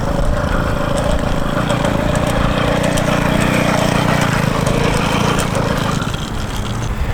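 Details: Cheap-build motorized bicycle's small two-stroke, loaned out under a week, first start: loud, uneven buzzing with an irregular beat and no steady idle, running rough; cause not confirmed.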